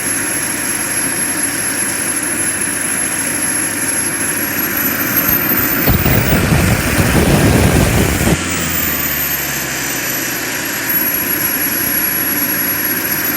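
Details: JetCentral turboprop turbine on its first test start, with a temporary wrong-size propeller: a high steady whine over a dense prop roar that swells mid-clip then settles; it runs strong and even.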